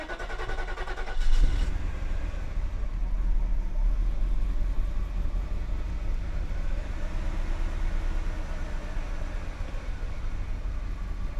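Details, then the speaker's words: 1990 Mercedes 560 SEC, started after some cleaning: catches and settles into a low, uneven, slightly lumpy idle, running but not smoothly, still alive after a minute and a half; some smoke seen, source unknown. Cause suspected, not confirmed. "okay she's still running not super smooth but she's running"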